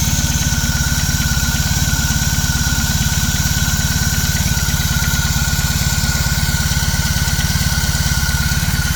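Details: BMW R18 Classic motorcycle, about 3.5 minutes after a cold start: steady idle about two beats a second with light metallic clatter or knocking on top; owner says it's much louder in person, cause unknown.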